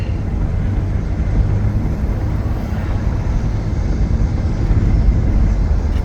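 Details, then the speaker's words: 2005 Ford Taurus on a test drive climbing a hill: even, deep engine drone under road rumble with no misses, knocks or surging. It pulls strong. Normal running under load. "it's driving pretty well the motor sounds good it's good and strong not having any trouble going up this hill"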